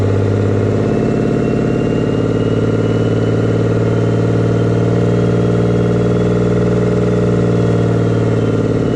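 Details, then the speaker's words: 24-valve Cummins diesel pickup after a P-pump swap, pump timed stock, not fully warmed up: steady idle with a loud hollow suction roar and a faint whistle from the open inlet with the intake off; the noise goes away once an intake is fitted. "sounds weird is because the intake's off. That noise goes away if there's an intake on it."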